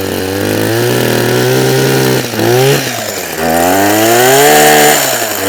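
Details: Husqvarna 123HD60 hedge trimmer that hadn't been used for a long time: buzzy two-stroke surges and sags, pitch wandering instead of holding steady; rough running and hard starting from fuel starvation, diaphragm suspected.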